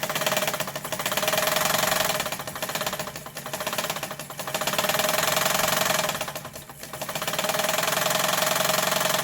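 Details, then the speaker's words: Mid-1980s Yamato sewing machine by Seongnam Mising, fully repaired with motor fitted, pedal-driven stitching: fast regular clatter about four beats a second rising and falling with motor speed; not quiet but healthy, normal running. "요즘 기계처럼 조용하지는 않지만 굉장한 파워가 있고 두꺼운 옷감에 아주 강한 기계겠습니다."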